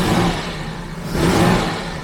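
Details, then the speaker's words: 1974 carbureted Jaguar XJ12 V12 revving with a lumpy, uneven beat, roughly 10–11 cylinders firing. Smells fuely, one side has weak exhaust and an exhaust leak; fouled plugs and carb adjustment suspected, with compression and distributor checks planned. "See, it is running a little bit unevenly. It smells a little bit fuely as well."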